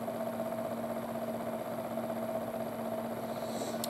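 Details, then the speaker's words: Sony PlayStation optical drive after the laser sled was cleaned and regreased, loading Resident Evil 3: only a faint, steady, even hum with no grinding or buzzing, faintly audible as the laser moves; drive running quietly. "really quiet guys you can hardly hear it the only time you can really Airy is when the laser means of distance there"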